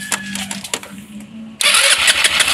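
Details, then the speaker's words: Rusi Flair carbureted scooter, fuel gauge showing three bars: faint whir, then harsh starter churn that never catches; no gas reaching the carburetor and intake manifold, ignition checked fine; cranks but won't start from fuel starvation. "Walang pumapasok na gas kaya hindi siya nag-start."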